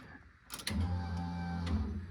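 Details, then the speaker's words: Car project about three years in the making, battery temporarily connected, key on before first start; short low electric hum for about two seconds; normal fuel pump prime. "As you can hear, the fuel pump just primed."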